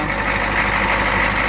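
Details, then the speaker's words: Ford F250 diesel in cold weather, just after a hard cold start; it starts worse than the owner's Cummins does at 5°F. A leaking fuel return line lets fuel drain back to the tank. Loud, fairly even clatter with a whistle; keeps running. Owner plans an inline heater. "and then finally it starts anyways it's running oh man they do not like the cold it starts worse than my cumin does in 5° weather"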